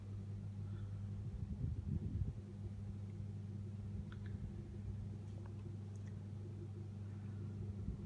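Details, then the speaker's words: Logik LBFANB16 built-in electric oven fan (shaded pole motor), previously stuck from dry bearing grease, after temporary repair: smooth, even low hum, fan spinning freely and running normally. "let's turn it on just give it a moment it's on there now seems to be spinning okay"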